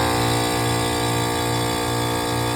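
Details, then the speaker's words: Trane Symbio HVAC, second-stage compressor (compressor 2) running alone on cooling call: loud, rough buzzing drone with faint pulsing; sounds terrible but pulls 14 of allowed 34 amps, so tech now doubts wrong phasing; cause unclear. "don't think it's phased wrong, even though it sounds terrible. It is allowed to pull way more amps, right?"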